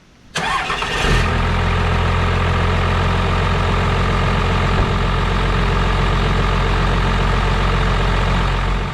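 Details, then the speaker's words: Second-gen 12-valve diesel truck, previously a no-crank no-start, after installing a new XDP gear-reduction starter: short starter whir, then it fires quickly and settles into a steady, even idle. Normal start. "You guys seen the initial fire, she fires right up a little bit quicker because this is a gear reduction style starter, so it shouldn't take much to get this old girl purring."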